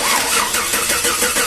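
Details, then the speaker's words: 2010 Chevrolet Silverado after engine replacement, crank no start: steady fast starter cranking with even whirring pulses, never fires; no petrol delivered though pump gets current, fuel pump replaced and truck then started. "तो गाड़ी के अंदर petrol नहीं आ रहा तो अब हम check करते हैं पेट्रोल क्यों नहीं आ रहा"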